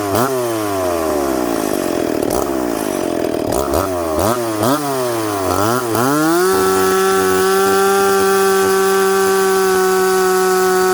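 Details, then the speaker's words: McCulloch Pro Mac 850 chainsaw fitted with tuned pipe, cutting dry cottonwood: bogs and recovers in the cut, then revs up smoothly and quickly to clean high rev with good pull; normal running under load. "it's got crack and it's got pull it it revs up smoothly and quickly"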